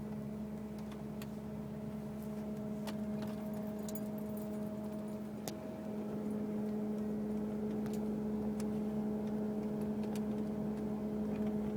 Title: 2002 Grand Marquis with random humming noise from engine compartment